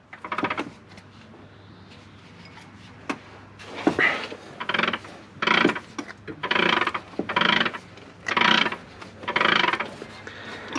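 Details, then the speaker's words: Original knackered Volvo engine turned over by hand: gritty scrape and clack about once a second with each pull, something binding inside; noise is recent, since last driven, cause unknown. "aren't meant to sound like that it also that's a recent thing like the last time it was driven"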